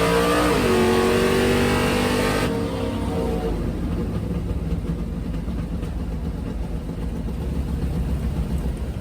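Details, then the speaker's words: Drag race car on a full-throttle pass: hard pull suddenly drops off about 2.5 seconds in, then runs rough and uneven; a cylinder was lost, a dead hole, with rough running after. "that's no good i'm sitting down here on the big end on the return road um as you heard i just hurt the motor listen yeah that's a dead hole"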